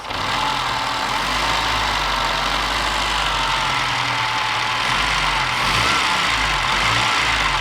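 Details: Moke engine on a bench test, up to temperature with no water in the oil, after fixing overly wide ignition points. It runs steady and fast with a busy, buzzy exhaust and no misses, so the electrical fault is cured. The carburettor is still suspected.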